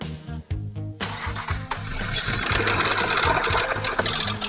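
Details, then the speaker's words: Nissan Teana engine at 250,000 km, a previously swapped used engine, started: harsh rattling knock under music; severe oil leak left the sump with not a drop of oil, so the knock is from oil starvation. "放油螺丝拆开，里面一滴机油都没有了。现在我们就可以确定，这个发动机的异响呢，就是这个机油漏完了，润滑不足导致的。"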